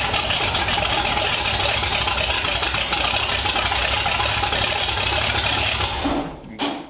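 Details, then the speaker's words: 1932 Ford roadster's engine on its first start since 1953, with newly plumbed fuel and modified headers, idles right away, steady and even with a busy upper clatter, then shuts off; a fuel fitting leaks. "all right we got fuel it runs it idled right away"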